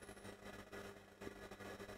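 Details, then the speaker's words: Epiphone Valve Special tube guitar amp with master volume at zero: steady mains hum with irregular crackles and pops, worse on first test; fault lies after volume pot, output tube suspected. "but you see i've got a hell of a lot of noise coming out with absolutely no master volume the volume is on zero here and it's still noisy as hell"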